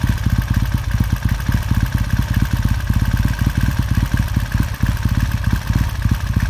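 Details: 1969 Triumph T100C after rebuild, started cold on one kick: steady, even low thump ticking over with brisk regular firing, no knocks or misses; clean, normal healthy warm-up idle.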